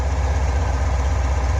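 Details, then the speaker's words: Fuel-injected Corvette V8 after the valve lash was readjusted on the suspect rocker and its lock nut tightened: a deep, even idle with no clacking. The valvetrain now sounds quiet and healthy. "could it be i'm not hearing any clacking anymore"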